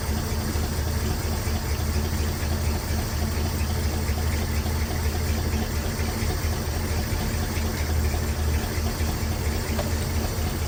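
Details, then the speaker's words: El Camino with a freshly rebuilt 350 V8, first start, warming up with oil pressure at 60 and waiting for the thermostat to open: a deep, even, smooth idle; the smoke is spilled fluid burning off the exhaust. "That smoke over there is from a lot of that training fluid that dripped on that exhaust pipe last night. It sounds pretty smooth."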